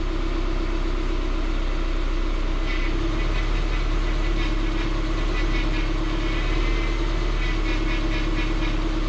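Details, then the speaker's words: 2006 Subaru Forester after power steering pump O-ring fix and fluid change: smooth even idle with soft steady hum, no whine or groan turning wheel lock to lock, only typical noise at full lock; pump healthy. "you can see the power steering is nice and quiet get to get that typical noise when it's all the way side which i'm not concerned about nice and quiet it's nice and smooth from one side the other no hitching no stuttering no stiffness"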